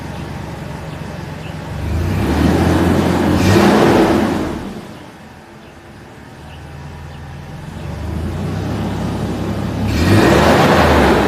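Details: Mercedes W163 after fixing a misfire on two cylinders: engine revs up twice and drops back smoothly, firing evenly with no stumble or miss; healthy, normal running.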